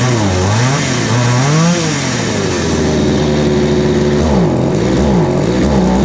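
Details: Craftsman 3.7/Poulan 3700 chainsaw after fitting a new eBay carburetor and fuel line: buzz wavers and sags as throttle opens, then settles at a fast idle; bogging and high idle, with L, H and idle screws needing adjustment.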